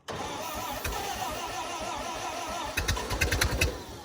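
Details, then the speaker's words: 1928 Ford Model A sitting 75 years in a ditch, cold, freshly rebuilt with new unseated rings, low compression, running on ether: slow even starter churn, a few sharp pops, cranks hard but won't start; timing suspected to need advancing. "So I'm going to run her off ether first, because we did change rings into different blocks and the rings ain't seated, so the compression's not going to be that great right off the bat."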